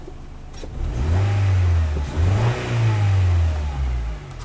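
Engine revs up twice from idle with an uneven, stumbling note as throttle opens, suggesting a misfire under acceleration. Cause suspected, not confirmed.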